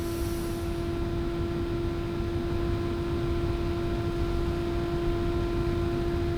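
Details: Elegoo Neptune 3 Pro 3D printer motherboard fan, original sleeve-bearing fan held close to the mic for tone comparison against a ball-bearing replacement. Steady, even hum at one constant pitch with no rattle or wobble; small cooling fan running normally.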